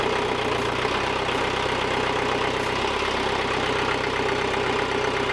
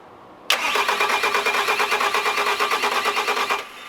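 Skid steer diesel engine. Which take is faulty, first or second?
second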